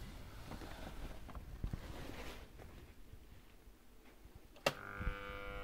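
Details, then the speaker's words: EBM-Papst M4Q045-CA01-09 shaded-pole fan motor, 230 VAC 50 Hz, 1300 RPM, sleeve bearings, from a 2 kW Frico heater fan: after a click a steady mains hum with no spin-up; energised but stalled, bushings suspected, not confirmed. "you can hear it sound just sounds doesn't spin"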